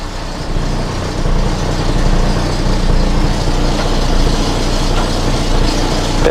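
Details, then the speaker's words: Volvo 480 project car just started, at low revs: engine drone with an uneven metallic buzzing rattle, ABS light on; exhaust hitting the chassis. "oh I know what the noise and the rattle is it's the exhaust the exhaust looked like it's hitting off the chassis"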